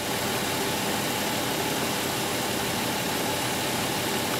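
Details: 2005 Chrysler Pacifica 3.5 L V6 idling in park after replacing a faulty alternator that induced AC voltage into the speed sensor causing an erratic speedometer: smooth, steady idle with an even hiss, no knocks, whine or surging; healthy.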